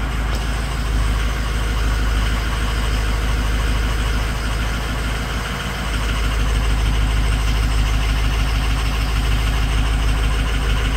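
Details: 6.0 Powerstroke diesel at idle with a bad #6 injector: a heavy idle with an uneven, knocky chatter in the rhythm, one injector failing to fire cleanly.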